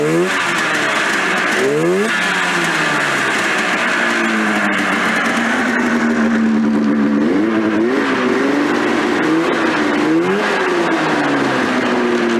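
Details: 1996 Polaris XCR 440 SP two-stroke snowmobile revived after neglect, spark plug caps held with rubber bands: revs rise and fall unevenly with a buzzy note, never settling; carburetors and clutches still need tuning.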